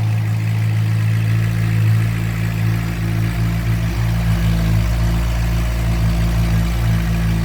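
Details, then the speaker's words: 2007 Suzuki GSX-R600 from storage with coolant in oil, water pump seal, freeze plug and electrical issues, started with new ignition switch: steady even idle, constant low hum, no misses or knocks; fuel pump running, bike idling cleanly. "here we go you ready oh yeah sounds good fuel pumps running yeah"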